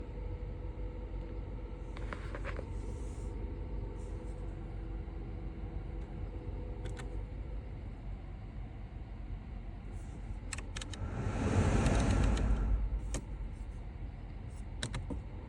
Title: Seat Leon FR SC 2013 AC weird humming noise